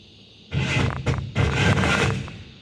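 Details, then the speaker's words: Truck, repeated over recent days on nearly every start: two short harsh cranking bursts with grinding rasp, starter turns then stops, engine not catching; owner attributes it to a failing starter Bendix gear, not the battery. "every time. And you hear that grinding."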